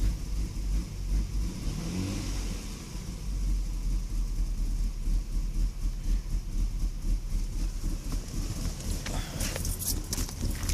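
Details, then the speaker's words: Lexus IS300 with code P1349, warm engine (starts and idles fine when cold), light throttle: runs rough and uneven, with lumpy pulses breaking the rhythm and heavy shaking; engine misfire. "Misfiring. Shaking quite bad."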